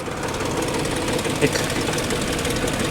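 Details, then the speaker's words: Salvage-auction BMW idling, heard under the hood: light, irregular rattle over a steady idle at the front of the engine; suspected timing chain or cooling fan, not confirmed. "tell if that's coming from the front of the motor like timing chain maybe like it could be this cooling fan right here man it's hard to say"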